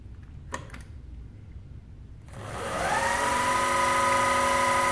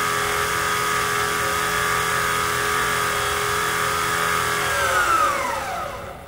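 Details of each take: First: Precision Matthews PM-25MV mill after a belt-drive spindle speed upgrade, running at 3000 rpm on factory bearings that get warm: rising whine settles into a steady even tone, with only a tiny, non-excessive vibration. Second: Precision Matthews PM-25MV mill after belt-drive spindle speed upgrade, running near 5000 rpm: high gritty whine, then pitch sweeps down; spindle strained; owner hopes new bearings reduce friction.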